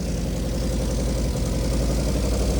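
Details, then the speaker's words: NA Mazda Miata with BP4W engine swap, first start, cam slightly adjusted, exhaust manifold not fully attached: steady even low idle with a smooth unbroken beat, no knocks or stumbles; normal idle. "This is it just idling. It's like perfect. It's idling 100%."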